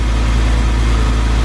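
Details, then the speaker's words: Car restarted after timing chain tensioner repair: deep, even idle with a steady low hum and no chain rattle or tapping, unlike the heavy tensioner rattle before; the engine sounds healthy. "Sounds like a different car, doesn't it? Yeah. Borderline sounded like a fat motor when he came in."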